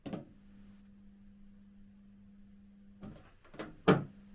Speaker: it's just vibrating the whole thing is vibrating it's so badly made so you can actually hear it vibrate through the record player